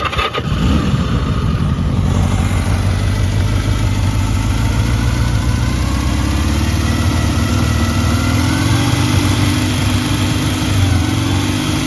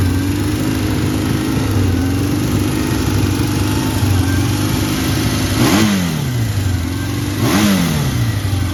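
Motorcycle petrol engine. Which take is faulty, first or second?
second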